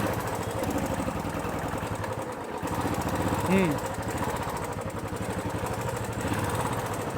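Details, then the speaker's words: Royal Enfield Classic 350, before repair: fast even tick over thumping idle, louder when revved; not the hydraulic lifters but loose valve guides in the head, plus slight timing noise needing spindle pin adjustment. "ये आवाज़ hydraulic की नहीं है, ये head की गाइडों की आवाज़ है बस।"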